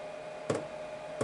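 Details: Chinese diesel heater after glow plug replacement, test run: even, mid-pitched fan whir holds steady with a couple of light clicks as the glow plug heats before the fuel pump starts; normal fan running.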